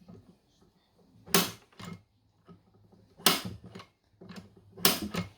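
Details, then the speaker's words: Mercury 40/50/60 HP EFI outboard lower unit in forward gear, prop turned by hand with drive shaft held as the powerhead would: slow uneven dry clicks in a quiet room, normal clutch ratcheting from the shift cam and cam follower design. "there is absolutely normal and I was so confused what is happening when I heard this but this is how the clutch is structured"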